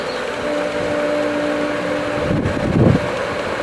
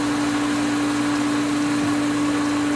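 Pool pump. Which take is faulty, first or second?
second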